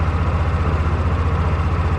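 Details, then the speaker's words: Yamaha Rhino with a 1942 Jeep GPW flat-fender kit, sat overnight at about 40°F after years of storage: fires on choke and settles into a steady, even low idle at half choke, idle perhaps slightly low; normal cold start idle. "Half choke. No joke. Idle might be a little bit low."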